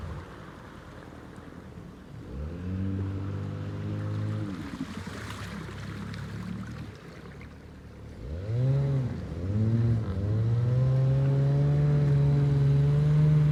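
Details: Abandoned jon boat's small two-stroke outboard, unknown if it ran after sitting since before winter, started in water: buzzes up through throttle blips then holds a steady clean rising drone under load; runs smooth and healthy, easier than expected.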